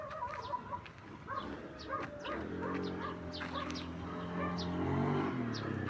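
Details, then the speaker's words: Honda Beat V1 110 scooter after crankcase bearing replacement, which cured a loud knocking from the CVT side: steady, even idle with no knocking, dog barking nearby; engine back to stock, normal idle. ">> Ayos. Wala ng tugtok. [tawanan] Parang nagbalik sa stock yung ano talagang ano niya."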